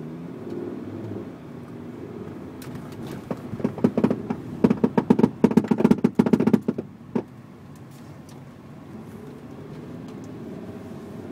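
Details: Volkswagen Touareg with a gearbox rattle: over the steady running car, a loose burst of quick metallic rattling lasts about four seconds, then settles.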